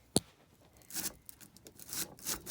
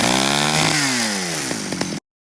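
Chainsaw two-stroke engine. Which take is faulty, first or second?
first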